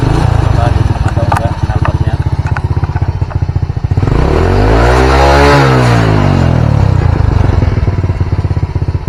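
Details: Old Honda Supra single-cylinder (previously rich: black plug, hard morning starts, black smoke at mid-high rpm) idling after a new needle and main-jet seat, with idle set near 1300 rpm; even, steady putter at about four pulses a second, with a vehicle passing by; normal stable idle.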